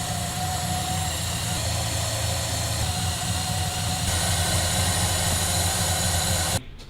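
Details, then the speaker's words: Dodge Monaco V8 idling after new plugs, distributor cap, rotor arm and leads, with ignition timing set and idle lowered; even steady low rumble with light hiss, engine smoothed out and no longer hunting, timing maybe a touch late. "you can hear the engine smooth out it's not hunting"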